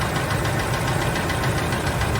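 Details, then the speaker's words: 2006 Ford F-150, 198,000 miles, engine oil drained and condemned: hot, oil-starved V8 at idle during torture test with steady regular knocking low in the engine under the rumble; rod knock, plus some lifter noise, spark knock when hot. "it cool down so it's got some lifter noise the rod knock sounds better yeah we fixed that part of it"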